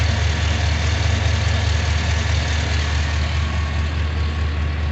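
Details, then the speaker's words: Junkyard 6.0 LS V8 in a 2500 truck after the swap and sensor replacements: deep, steady idle rumble with an even beat and no knocks, misses or ticks. Running well, normal idle. "She is running pretty good."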